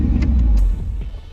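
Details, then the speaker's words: Car that had been dieseling (run-on) at shutdown, running on better gas as someone suggested: the low idle rumble cuts off sharply and fades within a second with no chugging, so it now shuts down cleanly without dieseling. "I put better gas in it and it actually stopped dieseling"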